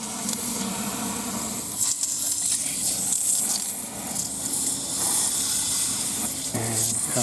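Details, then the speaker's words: Front-garden drip sprinkler valve in Phoenix, repaired after it leaked continuously, test opening: strong steady hiss of water spraying, no chatter or hammering, valve then shut off; normal water flow through valve. "tell oh i can hear it downstream opening"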